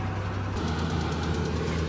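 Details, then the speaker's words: Small truck with 3.0 Vulcan engine, over 250,000 miles, idling with the inverter on: light, quick ticking, about seven per second, over a steady low idle; lifter tick, suspected, not confirmed. "you can really hear that Ticky lifter going on now"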